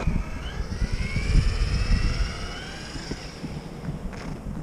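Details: RC car with 15-tooth pinion, final run on snow in extreme cold after loosening the gear mesh: electric motor whine rises and falls smoothly with throttle over snow crunch, no gear chatter or grinding; normal drivetrain, mesh now softer.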